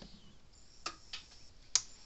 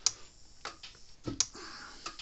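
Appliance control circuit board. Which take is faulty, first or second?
first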